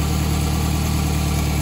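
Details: 2004 Toyota Camry after the transmission swap, drivetrain pulled and reinstalled, no obvious leaks underneath: smooth even idle with a low steady hum and no knocks, rattles or misses; the engine sounds healthy at rest.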